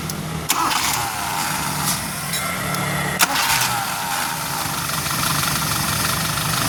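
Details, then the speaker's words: 1989 Suzuki Forsa after setting the carburetor air screw, restarted with the engine cold: a brief, light crank, then it fires instantly into an even, steady idle with no stumble. "Nah, starternya sudah enteng banget, Lur. Cekederce ibaratnya dipancal sedikit aja statya langsung hidup."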